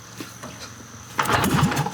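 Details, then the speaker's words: Dusty barn-find antique motorcycle, kick-start attempts after priming and opening idle: quiet ticking, then sharp pop and ragged sputter as a cylinder catches but won't keep running. "That sounds like a fire. Come on. Come on. Couple more."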